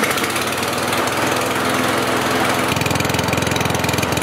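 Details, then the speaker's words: Kohler lawnmower engine before the RPM adjustment: an even single-cylinder chugging that is clearly too slow, reading 2,300 RPM, under 3,000. The fix is more governor spring tension. "low. As you saw, the number was under 3,000. Here it's reading 2300. So on this lawn mower here, what I need to do is speed up the RPMs."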